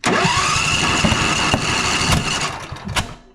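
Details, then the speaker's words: Popping and clanking on one cylinder of a John Deere Z335E zero-turn mower, tested per coil: rough run with irregular pops and metallic clanks; suspected stuck valve or bent pushrod, not confirmed. "Doesn't sound so good. Sounds like maybe a valve is stuck, push rod's bent."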